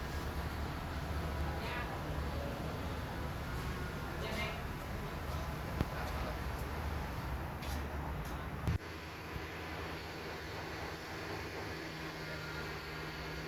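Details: Toyota Camry (2018–2021) at idle: uneven, lumpy low rumble of a misfire; owner suspects a very bad cylinder 1 injector.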